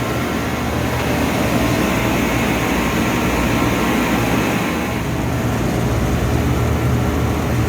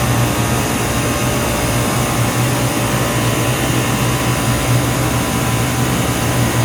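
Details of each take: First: 25-year-old 50-ton Trane split system: steady airy whoosh and low even hum from the new condenser fan motor (rated 1.8 A, drawing 1.7 A), with no squeal or grind, while about 70 lb of refrigerant is charged; it runs smoothly. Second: 25-year-old 50-ton Trane split system with a no-cooling complaint: steady loud compressor hum and low drone, fans barely running yet. One stage runs about normal, the other is way low on refrigerant, with one liquid line cold and a warm liquid line up top.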